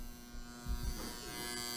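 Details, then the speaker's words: Henny Penny HMR 107 hot case, 208 V supplied, contactor coil disconnected while hunting a dead short: fan motor gives a steady high squeal over low hum with dull knocks; squealing fan motor, not thought to be the short. "so let's just go down here and you can see that's the one squealing I don't think that's going to be dead shorting"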